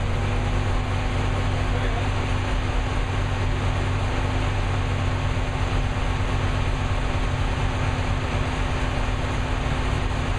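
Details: New V8 with Lunati 60140 solid cam, running hot at constant speed after valve lash was reset from about .010 to .014 intake and exhaust: loud, steady run with even mechanical chatter, no irregular tapping; valvetrain sounds properly adjusted.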